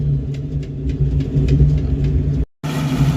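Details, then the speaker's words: 1982 Ford Mustang GT carbureted project car, Mack short tube headers, just bought, at gas station: deep lumpy uneven idle with brief cut-out; running rough, runs fairly well once carburetor clears out. "Is a rolling project car. It is rough, but as you can hear, it is running. And when the carburetor clears out, it actually runs fairly well."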